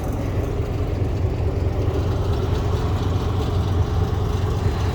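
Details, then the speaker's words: 1985 Chevy Champion G20 campervan 350 V8 after new spark plugs and wires, sat for days in freezing cold, hood rattling open: started on first crank into an even, steady idle with smooth low rumble, no misses or knocks. "even after sitting there for days she started right up on the first crank"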